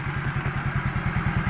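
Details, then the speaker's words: 2014 Yamaha Mio GT, previously smoking and stalling with weak parts and carboned combustion chamber, after repair: steady even low putter at idle, no misses or knocks, no exhaust smoke, no faults shown; normal idle. "suara yang dihasilkan tentunya ya ini masih sama dengan posisi Yamaha Mio GT ya tentunya yang memang suaranya seperti ini kemudian kita lihat di bagian knalpot enggak ada asap ya normal ya"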